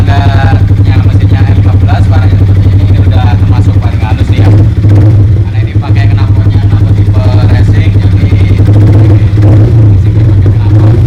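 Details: Yamaha R15 after replacing the worn, loose connecting rod and bearing and the scored piston that had caused a harsh engine sound: deep, steady single-cylinder thrum with an even beat and no knocking or rattling; engine now runs smooth and healthy.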